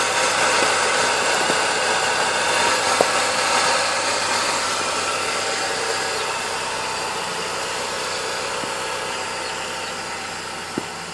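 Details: 2000 Chevy Cavalier at idle: a fast, fairly even rattle of about four per second over a noisy hum from the front of the engine, attributed to a bad alternator and timing chain; cause unconfirmed.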